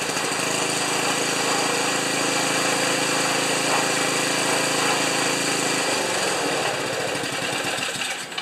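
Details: Ariens 2+2 snowblower small single-cylinder engine, after ignition coil replaced with gap set because owner reported stalling after running a while: fast, even rattling beat, cuts out near end; normal running.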